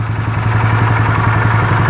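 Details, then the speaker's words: 2015 Polaris Sportsman 570 EFI single-cylinder ATV that sat outside for years, reportedly "blew up"; owner unsure if it hydrolocked. Warming up, waiting for the fan to kick on: steady, even thump, no ticking or clatter. Quiet, normal idle. "make sure the fan kicks on it's idle and perfect but I don't want to give it any [Applause] gas man the motor is absolutely quiet"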